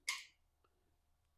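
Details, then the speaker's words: Suzuki DRZ400 with an Adventure Rally X tower installed: one sharp click from the added relay as the high beam switches on the light bar, then silence. The relay pulls in cleanly and works normally. "which turns on the light bar and the yellow right you can hear it clicking and everything works as far as the cluster goes too"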